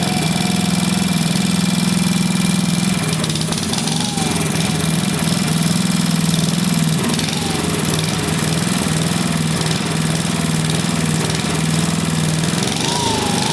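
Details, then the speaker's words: Vintage single-cylinder engine, a free neighbor engine just reassembled with its carb cleaned, chugs with pitch wavering and surging every few seconds; the loose choke plate flaps without a linkage, making it try to kill itself. "all right this choke right here what's it doing is flapping back and forth in there so it's trying to kill itself as it's running so that needs a linkage for sure"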